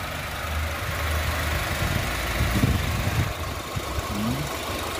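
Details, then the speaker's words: 2014 Honda Civic FB 2.0 (2000 cc petrol), idling with the hood open: steady, low, smooth hum with no knock or miss; the engine sounds smooth and healthy. "Suara mesinnya ini nyala loh, ini mesin, tapi suaranya masih halus."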